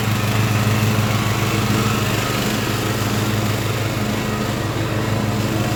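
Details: Craftsman LT1000 riding mower after Briggs & Stratton engine swap, warmed up, test mowing tall grass with unsharpened used blades: steady, even single-cylinder drone holds speed under cutting load without misses or surging; running well.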